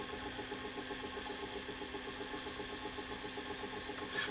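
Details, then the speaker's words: Panasonic PV4361 VCR during playback with picture shaking back and forth and grinding noise; steady whirr with quick even clicking from the transport, cause not yet clear. "Hear the noise? Sounds like a clicking sound."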